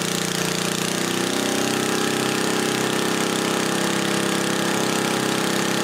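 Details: 1977 Briggs & Stratton Model 8 3HP single on a water pump, not smoking; even, busy beat at steady speed, no misses or knocks, governed near 3600 rpm, maybe slightly higher. Normal running; earlier vapor locking came from a rusted muffler hole heating the carburetor.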